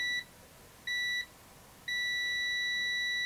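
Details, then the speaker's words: AstroAI TRMS multimeter continuity test: two short high beeps, then a steady tone, maybe slightly louder, likely the same beeper; working properly. "does that sound a little bit louder well i don't know it's it's probably the same beeper in him"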